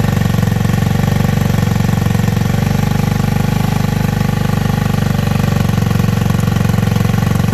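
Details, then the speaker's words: Tao Tao Racer 49cc bike, single cylinder: fast putter with a slightly uneven beat. Owner says it bogs out and still needs valve adjustment and rich/lean mixture adjustment; CDI is a J&J Power Sport high-voltage unit. "I didn't record but what I was saying the bike it bogs out it runs the CDI right here"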